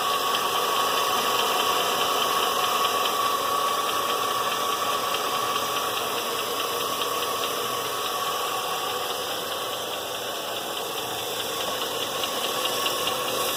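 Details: 2000 Chevrolet Silverado with LM7 engine at idle: a light, quick ticking, about two per second, from the valvetrain area. Rocker arm trunnion bearings were already replaced without curing it; owner suspects a failing lifter.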